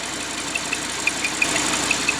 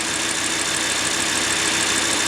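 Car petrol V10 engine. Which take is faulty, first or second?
first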